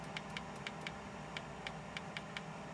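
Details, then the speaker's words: Nespresso Aguila 220 (Thermoplan) coffee machine that won't foam milk: crisp, evenly spaced clicks, three to four a second, over a faint hum from the rinse valve switching normally; a board issue is suspected. "I don't know how well you can hear this, but you can actually see that on the rinse valve. This valve is actually clicking."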